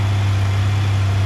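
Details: 1997 Honda Goldwing GL1500SE carbureted six, carbs tuned and new timing belt, cold start on choke: slow, smooth, even idle with a deep steady hum, no knocks or misses while warming up before the choke is backed off.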